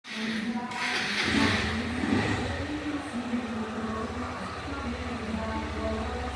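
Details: Honda Fan 160 motorcycle after a worn bearing was replaced: small single runs smooth and even with no rumble or whine under the exhaust beat; the engine noise is gone.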